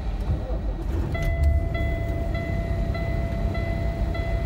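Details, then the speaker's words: 2014 Kenworth T680 with Cummins ISX, derate issue: at startup a steady high warning tone pulses about every half second over a rumbling diesel idle; stop engine immediately alarm with engine light and temperature warning. "you could hear the beep in [Music] my temperatures do the same"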